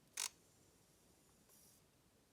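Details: Nikon Z 24-70 lens that made noise at power-on with a lens error, heard powering up after replacing the cracked focus-group flex cable: one short faint whirr, then near silence with no grinding or rattle; a clean, quiet startup.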